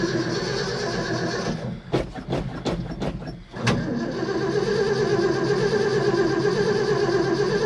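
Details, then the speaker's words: 1972 Ford F-250 after sitting at least 14 years, fresh gas added and pedal pumped: steady cranking about three turns a second, never catches; no fuel reaching the carburetor, fuel starvation. "i don't see no fuel there yet so we're not getting any fuel to the carburetor"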